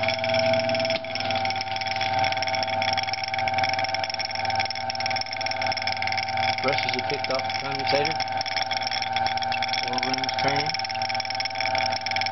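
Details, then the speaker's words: Antique Century repulsion-start induction-run motor, likely 1 HP+, brass oil-ring bearings: brushes ride the commutator at start, then centrifugal flyweights lift them and short the segments; steady, even, clean electric hum, normal run. "So when it fires up, you'll hear the brushes ride on the commutator, probably see a spark, and then it'll get quiet."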